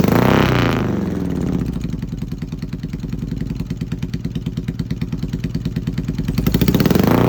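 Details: Yamaha XS650 twin running an old Hitachi TCI ignition: revs then settles into an uneven, stumbling beat about three pulses a second with skipped firing; misfiring, cause unclear.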